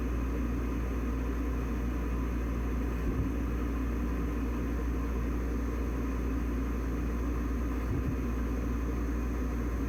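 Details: Riello 40-F3 oil furnace burner after a control box replacement (old box had a blown capacitor): steady low roar that stumbles briefly twice, misfiring rather than holding an even flame.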